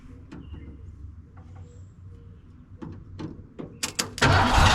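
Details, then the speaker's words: 1987 Ford van, long-parked former school van: starter solenoid jumped, flammable brake clean sprayed into intake; a few uneven cranks and coughs then it roars on the spray, confirming no fuel delivery; tank may need dropping. "running. So, the thing isn't getting fuel."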